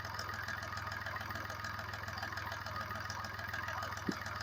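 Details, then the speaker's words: Volkswagen three-cylinder diesel with piezo injectors at idle: dull, uneven knock on the firing beat, roughly three a second; injector knocking suspected, checked via injector quantity deviation per cylinder. "Engine noise பாருங்களேன் எந்த அளவுக்கு இருக்குன்னு knocking sound கேக்குது இல்லையா?"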